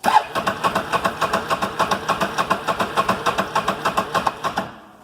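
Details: 2008 Can-Am Outlander 650 after running about a minute then shut off: starter spins about three and a half compressions a second, never fires; intermittent crank no start caused by faulty crank angle sensor.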